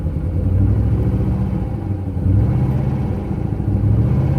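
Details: 2005 C6 Corvette V8 with a rough idle, even after new plugs, coils and plug wires, during a fuel pressure test (about 50 psi, slow drop): it runs lumpy and stumbles under light throttle. The misfire was later traced to a broken valve spring.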